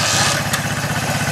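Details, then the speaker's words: 1978 Honda CB125S, fuel replaced and carburetor cleaned, idles with a small, steady, even single-cylinder thump and no misses or knocks, quieter than the owner likes; owner mentions an unidentified rattle and possible cam chain noise. "there you go. But that's it running. Really way too quiet for my taste."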